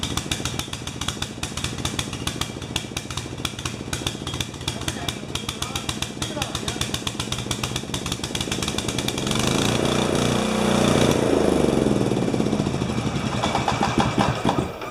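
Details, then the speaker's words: 12 HP Swisher bush cutter engine: uneven, lumpy beat about four pulses a second that surges and bogs; sounds like it's running rich, with the float level suspected too high, not confirmed. "sounds like it washed it's running rich letting itself"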